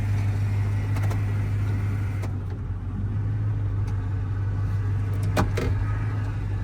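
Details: 2002 Chevy Silverado 1500 automatic with blown transmission, in first gear: steady low engine drone with irregular drag underneath and no clean pull; failed automatic transmission.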